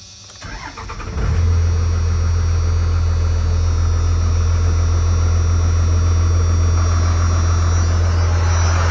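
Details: 1994 Dodge Ram 2500 4x4 with a 12-valve 5.9 Cummins diesel, 5-speed manual out of gear, 122,314 miles: short crank, then it fires and settles into a deep, even diesel clatter at a steady idle with no misses or knocks; healthy.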